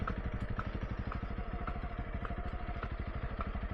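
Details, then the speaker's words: Honda CRF300L on new Michelin Tracker tyres, riding on Yorkshire trails: sharp light click repeating about twice a second over the steady single-cylinder thump; source unknown, to be checked. "Something's clicking. Don't know what that is. That doesn't sound good, does it?"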